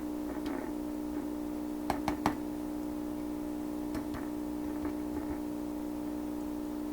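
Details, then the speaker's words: 1928 RCA Victor Model 28V radio during trimmer alignment: steady hum broken by sharp irregular crackles and pops from the tube section; loose tube elements suspected, not confirmed. "Could be loose elements in tubes. Yeah, it's coming from over here. Probably loose elements in these tubes."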